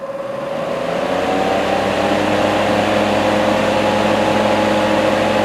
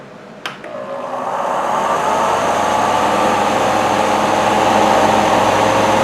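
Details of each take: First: Portable car fan bought in 2013, after teardown, cleaning and WD-40 lubrication of its formerly noisy motor: steady, even mid-pitch hum with no rattle or scraping, much quieter than before. Normal fan motor running. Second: Portable car fan bought in 2013: steady whirring hum with a fast, uneven rattle about three or four a second from the motor and bracket; fan motor rattle.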